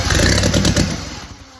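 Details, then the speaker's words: Original WWII Willys Go Devil engine, first runs after decades, after a backfire: fires, snaps into a quick sharp rev and settles cleanly; owner thinks ignition timing is close, sounds right. "Woohoo! Dang, that took off. I'd say my timing's probably pretty close there. Woohoo! Dang, that sounds perfect."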